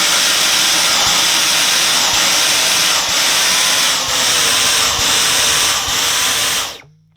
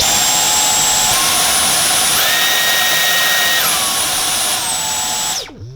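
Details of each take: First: Dyson V10 Animal Extra cordless vacuum with a blockage at the main floor head: high airy roar dips and surges about once a second, then cuts out as power is limited and the indicator flashes. Airflow blockage. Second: Dyson V10 Animal Extra cordless vacuum: steady high motor whine steps up and down in pitch as power modes change, then spins down with a springy boing at switch-off, which is normal.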